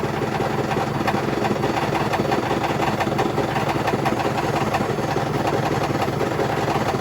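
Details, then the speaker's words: Hotpoint BHWMXL145 washing machine on a test spin heading toward 1400 rpm: a loud roaring spin with heavy, irregular thumping about once a second throughout, the drum banging about on a broken spider with two snapped arms. "wow that's insane I don't think the Bosch was as bad as that when I first got it as early one arm the snapped was clearly this one two arms are snapped"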